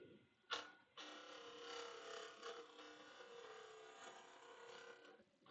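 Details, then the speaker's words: Wood lathe, gouge taking light truing cuts: buzzing, fluttering scrape that chatters where the blank is still out of round, not yet true. "Can hear it sort of chatter a little bit. That's the area that's not very round, very true."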